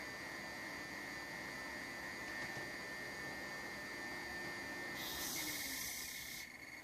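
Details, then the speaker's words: Orvaldi INV-12-840W UPS after transistor repair, charging a small test battery toward 14.6–14.7 V with mains input and 220 V output present: the cooling fan makes an odd faint, steady high-pitched buzz while charging. "якось дивно він почав жати коли йде зарядка акумулятора Він чомусь дивно жужить"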